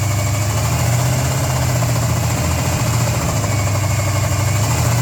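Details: 400 Z28 V8 at idle with a deep, rough pulse and a dull knock riding under it; rod knock from a worn rod bearing.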